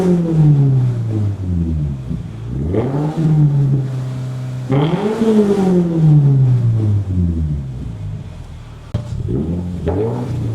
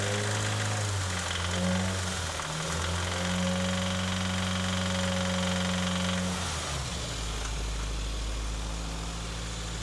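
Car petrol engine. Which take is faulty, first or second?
second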